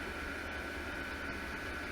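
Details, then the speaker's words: $105 12 V diesel heater, half-filled with diesel, running in an uninsulated building at about 35°F: a steady, even rush of fan air with a faint whine. At this fan speed the pump's clicking, loud at startup, can't be heard; normal running. "the pump is a little bit loud when it first starts and right now with this fan speed you really can't hear the clicking"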